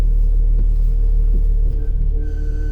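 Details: 2018 Ram Promaster steering wheel clunking and loud screech when turning, recorded at a dealership; low rumble with dull knocks, then a thin high squeal creeping in; repaired under warranty, cause not stated.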